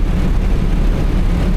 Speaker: the drive shaft has a big bend in it. So you may be able to hear it. This thing has a terrible vibration above about 40 miles an hour.